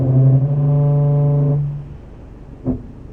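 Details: Scion FR-S braking gently in traffic: low, steady groaning tone for about a second and a half as the car eases onto the brakes, then dying away; brake squeak, present since ownership began, worse in winter.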